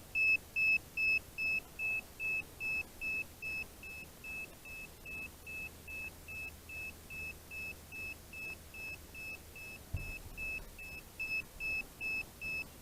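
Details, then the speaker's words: DJI Phantom 4 Advanced remote controller (GL300C): constant loud high-pitched beeping about two and a half per second, signalling a stick calibration error from a sticking, non-zeroing left stick. "never know when the remotes gonna be beeping giving you that error basically it's calibration error that constant loud beeping"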